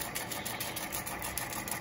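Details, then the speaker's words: 1969 Rheem Califone 8030T mono portable reel-to-reel tape recorder: fast, even whirring hiss with light flutter, no scrapes or catches; rewind, does not stop automatically; normal tape rewind. "Here's fast forward. You can see it's fast as hell. Same rewind."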